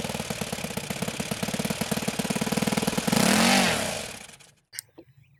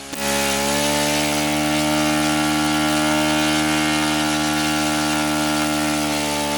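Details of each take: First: OS FS-91 Surpass four-stroke nitro RC engine after tuning, high end leaned again once cooled: crisp pop-and-cackle idle hitting every other time, then a clean rev and shut-off; normal, proper four-stroke idle and run. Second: OS FS-91 Surpass four-stroke nitro RC engine, warmed up, at full throttle: high-pitched buzz climbs as the high-end needle is turned in, then sags when leaned past peak; lean mixture, needle backed off to a safe rich setting.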